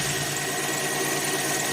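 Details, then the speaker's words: 1990 Chevrolet Lumina Euro 3.1 V6, 145,000 miles: idle stumbles with a quick "t-t-t" tick, almost like a misfire but not, gets hot and stumbles on first throttle; recurring EGR valve code, owner plans to swap EGR valve, may scope an injector. "throw that on there and see if that fixes that problem cuz it kind of stumbles uh an idle like a t t t sound um almost like a misfire but it's not a misfire that idle and it gets hot"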